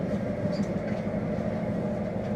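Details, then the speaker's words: Maytag Neptune dryer after replacing worn idler pulleys, whose bearing had been suspected of causing loud noise: a low, even drum rumble with no squeal, thump or scraping. It now runs quietly, like new. "barely hear a thing. Is it turning? It is turning. So, what a difference. It's like a brand new dryer."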